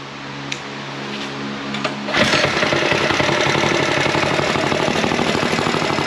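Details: Go Power Sports Rascal mini bike, single-cylinder, start after completed build: after a couple of seconds of starting effort catches and settles into a steady, even run with no knocks or misses; healthy.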